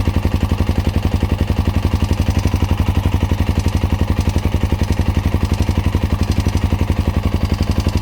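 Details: Honda Dominator NX650 RD08 at hot idle after new cam chain, tensioner, spring, bolt, cam and rockers: even single thump about four beats a second with a light metallic click from cam chain area; quieter but persists, stops when tilted right; cause unknown, cam chain guides suspected.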